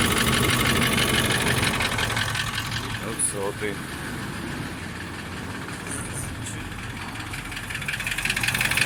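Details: Toyota 1VD-FTV diesel (200-series) idling: steady knock about three per second over the clatter; oil-cooling jets found in the oil pickup after pan removal, so the fault is pistons or bushings; engine pulled for rebuild.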